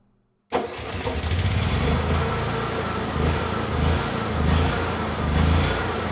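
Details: Honda EU6500is inverter generator with eco switch off and a light plugged in: it starts, then speed hunts up and down about once a second instead of settling, while still making power; fuel or spark problem suspected.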